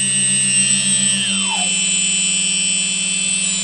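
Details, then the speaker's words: Quadcopter with MultiWii flight controller: steady high motor whines, then left-front and right-rear motors slow and stop while the other two keep running; suspected flight controller or settings fault, cause unknown. "now you can hear this one that one's slowing down won't be long they'll both be stopped all the way"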